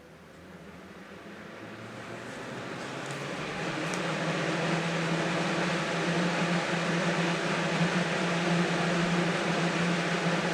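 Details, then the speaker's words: Never-opened 1980-81 Lasko (Galaxy) 3712 12-inch two-speed box fan, first run on high: smooth, even rush of air building over a low steady motor hum, no rattle or ticking; much quieter than a well-used one, running healthy. "wow [Music] that thing is so much quieter so much quieter than all right my other one"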